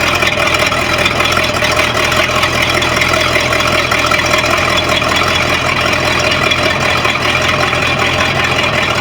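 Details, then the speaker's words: Sea Ray boat with MerCruiser 5.0 V8 sterndrive starting and idling with an even, steady burble and no misses after repairs: distributor sensor that prevented firing, trim switch and relay solenoid, shift and prop shaft seals, new water pump impeller; inner shift cable problem remains. "Starts and runs and sounds pretty good."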